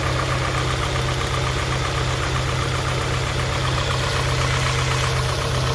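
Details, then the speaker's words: 1991 Honda Prelude Si after fitting new NGK spark plug wires: low, uneven idle with lumpy stumbling beat, idle surge and shaking, close to stalling; misfire persists, distributor cap and rotor next suspected. "Nope, I think still misfiring. Nope, idle surge. This is how low it idles. A rough idle, shaking very."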